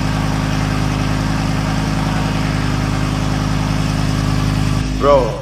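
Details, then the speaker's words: Burnt-out Lamborghini Gallardo LP520 V10 in restoration, idling in the workshop with the muffler fitted: low, lopsided, uneven pulse with a thin exhaust note; injectors warm on the right, cold on the left, so the left bank isn't firing. "I'm checking the fuel supply for the left bank because yeah, the injectors, they're just the right side is warm and the left side is cold. This means there's no ignition on the left side of the engine."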